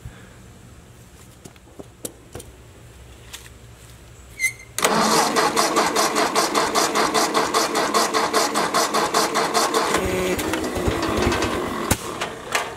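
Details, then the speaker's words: Ford Jubilee tractor after carburetor swap, previously stalling under load: quiet, then cranks, catches and settles into a steady, even idle. Finding: normal idle. "huh uh sounds pretty good she was stalling under a load before"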